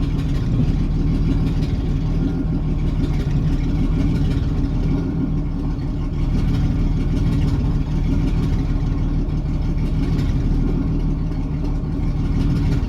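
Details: 1987 Jeep Cherokee Renix 4.0 at idle: uneven loping beat with periodic stumbles, one cylinder missing; cylinder 6 exhaust rocker moving less, sticking valve or bad lifter; loosening that rocker bolt made it run smooth with a slight tick.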